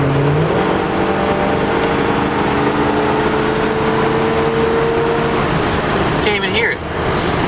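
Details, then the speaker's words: Chrysler Cordoba sleeper, first drive after fixing its overheating with a new thermostat: a soft, steady engine hum under way with no blowing, ticking or rattling, the exhaust intact and very quiet. "Another thing I need to do is exhaust. Gosh, this thing is too quiet."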